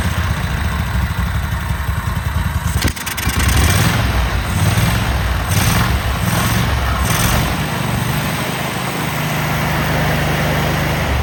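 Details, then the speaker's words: Cub Cadet Super 2284 lawn tractor with electrical issues, very dirty, missing bolts, rear cover off. On a test fire there is quiet cranking, then the small twin catches at about three seconds and settles into a steady low rumble, starting and running normally. "There was so much dirt, grease and everything, but we're gonna fire this motor. You tell me if you think it's a good runner."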